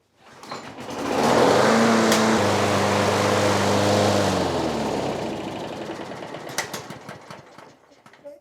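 Small single-cylinder engine holds a steady buzzing speed for several seconds before winding down; runs smoothly, with no surging or hunting.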